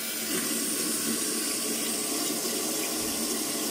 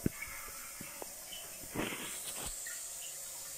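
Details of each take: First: Evet şu an için tamamen suyumuzu kesti Evet az önce ilk anda gördüğümüz gibi su sızıntısı Şu an için yok arkadaşlar suyumuz tamamen doldu şamandıramız kendini çekti Second: de Anlaşılacağı gibi rezervuarımız şu an için su kaçırıyor arkadaşlar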